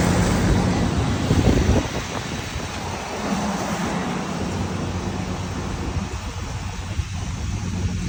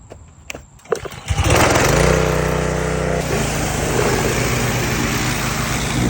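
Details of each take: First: Husqvarna YTH21K46 mower, Kohler Courage 21 hp engine, 337 hours, after the exhaust was welded and refitted (it was 104 dB before): a steady low drone at an even pace, no popping or blowing leak; exhaust sealed and normal. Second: Husqvarna hydrostatic riding mower, 337 hours, measured 104 dB: cranks, catches and settles into a harsh, very loud raspy bark at fast idle; exhaust leak ahead of the muffler, fixed by welding exhaust.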